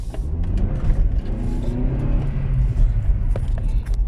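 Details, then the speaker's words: 2000–2006 Honda Civic (EV/EP/EU) after replacing the front ball joints, pulling away in gear: steady low engine and road rumble with no clunks or knocks from the front end; the knock is gone. "so now all that remains is to start it up on the brake pedal a few times make sure the pistons back fully extended it will been pressed back all right select gear oh no knocking brilliant"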